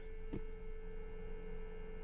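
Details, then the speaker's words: 2014 Chevrolet Sonic 1.4 with P0171 lean and P0106 MAP codes, at key-on/start: one short click then steady mid-pitched hum from front of car, first suspected fuel pump; electric brake booster vacuum pump running. "I thought it was a fuel pump but it's coming from the front of the car"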